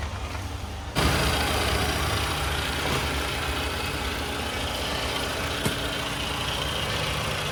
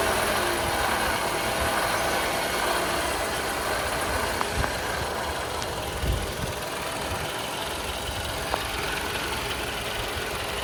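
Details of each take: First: Toyota Camry with the 2AR-FE engine, in a case of front-of-engine noise traced to a faulty water pump: after a brief bump it settles into a smooth, quiet idle, a steady low drone with no front-end growl or squeal. Normal idle. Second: Toyota Camry, 2AR-FE engine, at idle: rough, hissy whirring from the front of the engine, from a failing water pump bearing; fixed by water pump replacement.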